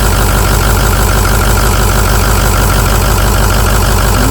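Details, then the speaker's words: Used 6.0 diesel engine just installed, first test start on a jump box, power balance test: a rough idle about three beats a second with a regular stumble, cylinder two not firing; dead miss on one cylinder at idle, cause not confirmed. "Go Power Balance not good for it cylinder two's got a dead Miss we're gonna go ahead and power off"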